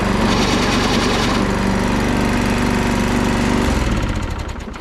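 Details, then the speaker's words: Toro Recycler Personal Pace self-propelled push mower running with an uneven rattling knock over the engine, fading at shutdown; worn transmission pulley bushing lets the pulley rock where the belt connects, transmission shot, belt may eventually pop off; transmission replaced. "But this one is making some noise out of the um self-propelled the bushing on top where the belt connects to the pulley. The pulley is rocking back and forth. So that transmission is pretty well shot once that starts happening."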